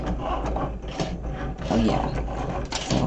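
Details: Cricut Maker engraving a Silhouette metal etching sheet: soft, irregular whirring and clicking as the carriage moves in short strokes, no screech; normal operation.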